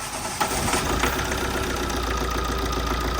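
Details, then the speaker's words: Tata 2.2 diesel just after starting, radiator fan unplugged: irregular knocks and dips in a stumbling idle with flashing check-engine light; injectors already checked, customer-added AC wiring shorting into the ECU suspected, ECU replaced. "สะดุดนะฮะมาดูไฟเช็คenginกระพริบนะฮะ"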